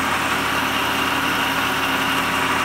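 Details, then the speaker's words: Schaublin 53 milling machine (about two tons, bought at auction), run on a DIY three-phase rotary converter with idler capacitor engaged: power feed driving table, saddle and knee; steady mid-pitched hum, no knocks or grinding. Knee feed dislikes engaging while spindle runs. Normal power feed operation. "we have power on the table we have power on the [Applause] saddle and come shut it off it doesn't like the the knee uh to engage while the spindle's running but you can see we have power to the knee"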